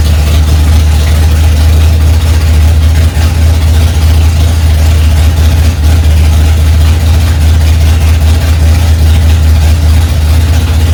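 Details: 1965 Ford Mustang, freshly rebuilt 289 small-block V8 on its cold first start, mixture screws two turns out: loud, steady low rumble at fast idle, firing evenly with no ticking or knocking on top; runs healthy.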